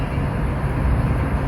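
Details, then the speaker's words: Land Rover LR3 (Discovery 3) fitted with strut spacers and 37" tires: the air suspension compressor hums steadily with no rattle or squeal, refilling an empty system through a GAP tool service routine. Compressor temperature rising; running normally. "Oh, I hear the compressor. But it certainly isn't doing anything yet, is The it? compressor temp's going up, so my guess is it's doing stuff."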